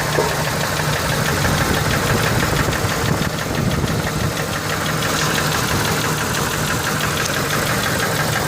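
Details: Ford F150 4.6 2-valve at idle, timing chains just replaced: loose fast ticking knock about three per second, sounding like lifter/lash adjuster rattle, but valvetrain was quiet with cover off; owner suspects rod bearings.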